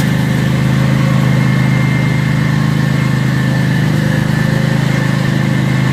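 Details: Cub Cadet zero-turn mower running after an oil and filter change and new fuel filters; a steady, very loud, raw low rumble at an even idle with no muffling. Loud exhaust, muffler disconnected.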